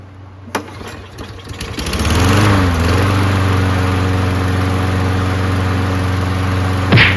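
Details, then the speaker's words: Toro Recycler mower, Briggs Quantum engine, after new HIPA aftermarket carburetor fitted with stock OEM gasket so primer bulb works; starts after a couple of pulls, smooth even low drone. Kill wire cable had come off. "Kill wire cable came off the mechanism. Man, this engine sounds good, doesn't it?"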